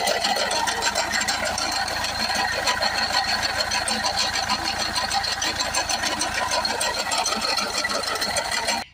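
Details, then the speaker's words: Mercedes E250 CDI 2.1 diesel, run only a few seconds: harsh high metallic rattle and chatter over the engine, stopping at shutdown; water pump bearing failed, with water leaking and play in the pump. "Sounds like the water pump has left the chat. We have water leaking out, and that is definitely got some play in it."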